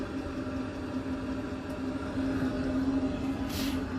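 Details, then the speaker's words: Diesel engine coolant heater on a semi truck running on a cold morning, warming the engine: quiet, steady hum with soft low rumble, no sputtering or knocking; normal operation. "I couldn't find one of them, so we got to get one of them in, a Webasto engine heater. And it does what this guy's is doing."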